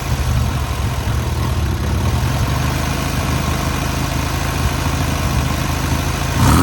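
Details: Newly rebuilt air-cooled VW 1600cc flat-four on its first start and break-in: even, steady idle with a regular low beat, then a quick clean rev at the end; normal idle and revving.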